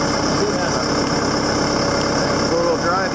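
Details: John Deere 6200 tractor diesel at steady, even idle with low rumble, no knocks or misses, after fine debris that plugged the plastic-capped screen was cleared; previous problems gone, runs normally.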